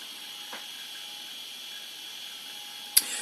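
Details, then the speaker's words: IBM ThinkPad 380D laptop running Windows 98: faint high whine with two sharp isolated clicks a few seconds apart; the very noisy, ticking hard disk sounds like it is failing and due for replacement. "oh my goodness, I really don't like the sound of that disk drive at all. It looks like it's, sounds like it's not long for this world, if you want my opinion."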